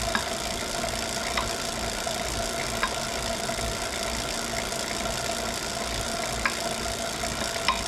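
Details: Wahoo Kickr Core bike trainer while pedalling: a sharp single knock about every 1.5 seconds, in time with the pedal stroke. Abnormal knocking, cause unclear.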